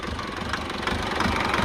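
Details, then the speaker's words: Foton Tunland diesel whose recently repaired injectors, two of them, are giving problems again: lumpy, uneven idle with irregular hard clatter and visible engine shaking it never used to have; rough idle, root cause not yet found. "idling Rock it's not too bad but can you see how that how the engine is just shaking she never used to do that"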